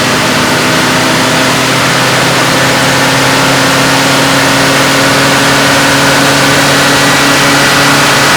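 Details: Stock 1966 AMC Rambler American, 199 cubic inch straight six, on a chassis dyno at full throttle to about 4,000 rpm and roughly 100 mph; steady, even drone pulling smoothly without knocks or misses, making 65.97 hp at 3,800 rpm: normal full-throttle run.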